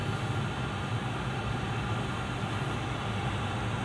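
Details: VW California Ocean parking heater running: even steady rushing blow with low rumble, no surging; normal.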